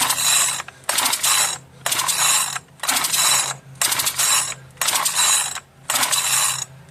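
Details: Marketplace-find two-stroke machine that earlier ran rough and died, given extra lubrication: repeated rope pulls about once a second, with whirring recoil and clicking pawls but no firing stroke. The owner judges it parts-only. Cranks but won't start; cause unknown.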